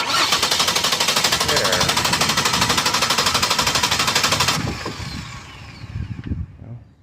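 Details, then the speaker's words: Car that wouldn't crank, starter tested by bridging the pulled starter relay socket with a paperclip or safety pin: even cranking about three turns a second for four and a half seconds, so the starter is good. "so we know the starter is good thanks to this baby pin figured out"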